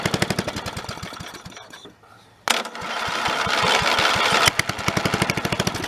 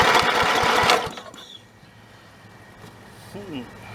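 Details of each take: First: Snapper 30083 mower abandoned in the woods 20 to 25 years, after swapping in a junkyard Magnetron ignition unit: single-cylinder engine chugs at a fast, steady beat with a couple of brief dips, running for the first time in 20 to 25 years; normal running. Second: Snapper 30083 rider engine abandoned in the woods 20–25 years, fitted with a borrowed carburetor and an electric starter: quick even cranking chuffs for about a second that never catch; no start, magnetron ignition unit suspected dead.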